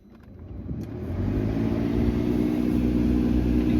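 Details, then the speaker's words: $1,000 BMW F30 335i after new radiator and coolant hoses, electric water pump bleed (key on, pedal 10 s, heater max): low hum builds and holds steady, no rattle or gurgle; pump running normally. "You can hear it going. I've already ran it, it got pretty hot."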